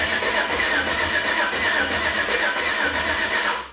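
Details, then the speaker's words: Chevy C10 with LS engine, new Holley Terminator X Max Stealth EFI, first start: fast even cranking about four beats a second, no catch at all; suspected swapped passenger/driver side coil harnesses, fuel just arriving with air. "See, it ain't even trying to fire."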